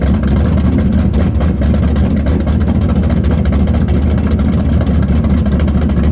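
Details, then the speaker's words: Karla's Camaro V8, timing set, running with a deep, loud, even burble and a steady beat, no knocks, ticks or misses. It sounds like the old motor; healthy running. "Sounds good. Yeah, it does. Just sounds like my old motor."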